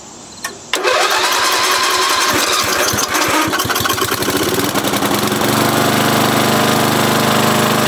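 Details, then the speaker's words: 40-year-old Briggs 11HP lawn tractor engine after emergency field repair, shroud not yet fitted: short crank, catches, revs up and settles into a steady, even run without misses or knocking; repair successful. "all right we're happy with that all right yeah simple fix but uh i had to take half the motor apart"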